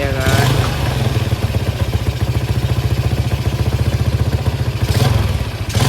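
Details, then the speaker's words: Vega R New motorcycle after repair for white exhaust smoke and a rough, sewing-machine-like engine note. Even, steady single-cylinder idle, no ticking or valve-gear rattle. Now smooth and smoke-free. Normal idle. "Suaranya udah enggak kayak kacang goreng lagi, Lek. Suaranya udah lumayan halus, Le."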